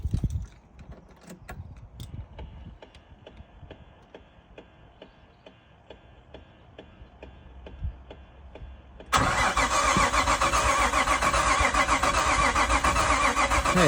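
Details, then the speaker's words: Nissan R33 Skyline project: starter cranks evenly, just under four beats a second, with no firing. It looks dry, so no fuel is reaching it and the injectors aren't firing. Owner will trace the wiring, suspecting a melted cable. "Well, I wouldn't say it's a good sign, but we know what it is though. We're not getting no fuel. So the injectors aren't firing."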